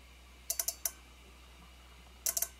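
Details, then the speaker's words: Relay bench-tested with its coil powered from a 9-volt battery: sharp, clean clicks in two short bursts as power is applied and removed; the relay switches properly. "des deux relais il marche très bien"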